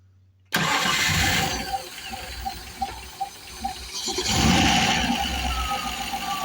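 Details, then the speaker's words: Fully hot Rover V8 after top-end rebuild with 3.9 EFI heads: loud airy hiss at idle like escaping gas, from head area; runs, revs and idles smoothly otherwise; cause unknown. "It's strange. It sounds almost like it's sort of like a gas type thing as in, you know, escaping gas or something. Really odd."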